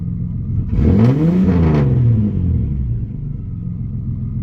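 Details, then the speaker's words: Nissan Maxima, just after fitting a new Walbro 255 fuel pump: clean throttle blip climbs and falls smoothly, returns to steady idle with no stumble; pump has slight high-pitched whine, good oil pressure, runs better than before, when it was stumbling; normal idle and revving. "You might be able to hear it on camera, you might not. Definitely sounds better. Okay, we got good oil pressure."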